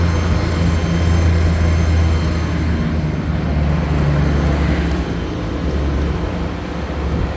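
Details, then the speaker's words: 2017 Ford F550 4WD bucket truck, 6.8L gas: deep, even drone holding raised PTO idle with slight dip and recovery as it idles back up; Thermo King running in background; normal. "but I don't know if you can hear that whining noise that's a PTO running if I pop the brake it'll go away if you can hear it idle down here you hear it idling back up"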